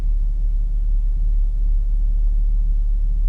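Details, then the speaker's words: B8.5 Audi S4 supercharged V6 on cold start after Jackal Stage 1 flash, new plugs and refitted boost temperature sensor; deep even rumble with slow throb about three times a second, idle noticeably low. Low idle. "cold start, eh? That's the first thing I notice is that idle's pretty low."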